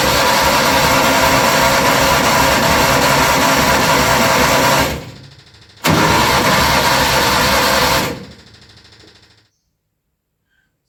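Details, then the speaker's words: Junior Micra stock car first start-up after engine fitted and fuel pipe and throttle springs redone: long even cranking bursts, two tries, never catches; engine flooding for unknown reason, starts eventually. "for some reason the are it's flooding come [Applause] no good okay it's quite successful eventually no idea why it's flooding to start with"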